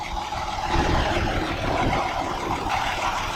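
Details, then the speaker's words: Kia Sedona inspected at auction, engine bay clean: steady, even idle with soft low hum, no ticks, knocks or squeals; engine sounds healthy. "todo se ve bastante motor bien limpio, extremadamente amente limpio, cero ruidos extraños,"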